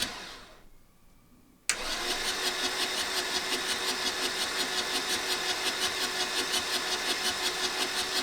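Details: 1984 VW T3 single cab, 1.6 diesel, long unused junkyard truck; after a pause starter spins about three even compression beats a second, never catches; fuel confirmed at injectors, next check compression.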